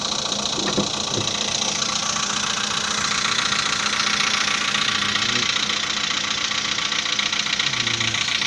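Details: 2015 VW Polo Sedan after piston modification, cold start at 10 °C coolant; fast, fairly even light knock about three to four per second over the idle; piston slap when cold.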